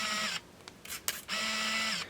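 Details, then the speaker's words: Olympus Infinity Stylus Epic Zoom 80 35mm film camera shooting a short scrap roll: short high motor whirs with crisp clicks as the lens racks out to focus and the shutter fires; working normally. "we can see that the lens is coming up a little bit here to focus."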